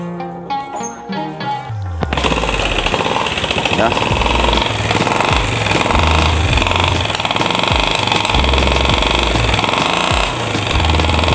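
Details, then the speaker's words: Honda Astrea Grand/Legenda motorcycle lacking power, won't climb hills: loud harsh clatter with uneven rapid tapping over the engine; mechanic suspects carburetor or valve clearance, not confirmed. "a tes kemarin memang marah sekali ya dari suara mesin terus powernya juga nggak ada"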